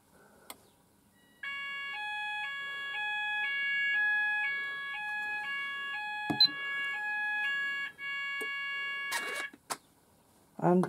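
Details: Apollo addressable fire alarm system test, sounders started manually after the last detector failed to signal them: clear two-tone alarm switching pitch about twice a second for six seconds, then stopping; sounders themselves work.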